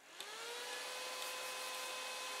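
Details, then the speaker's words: 3D printer's large CPU fan on an AMD heatsink cooling the hot 24V-to-12V step-down converter for RAMPS 1.4: spins up in a fraction of a second into a loud steady high whirring hum; fan simply too noisy. "As I say, that gets hot, so I fitted that, but it makes a hell of a racket when I turn it on."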